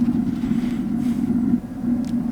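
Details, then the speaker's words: Propane water heater burner in a horse trailer's RV living quarters during dewinterizing, lit after air was purged from the gas line: a steady, even low roar with no popping or surging and a blue flame; normal operation. "It'll go right away this time. Watch. Could y'all see that? It's nice and blue."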